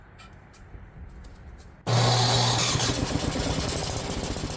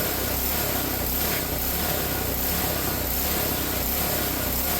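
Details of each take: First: Ariens snowblower idling after its ethanol-fouled carburetor was cleaned: the idle lopes up and down instead of holding steady; fine carburetor adjustment can fix it, and it cleared up after a minute or two of running. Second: Ariens snowblower with a Tecumseh engine after its ethanol-fouled carburetor was cleaned: the idle surged at first but settled after a minute or two, possibly from water in the fuel; now an even, quick idle with no hunting. Normal idle.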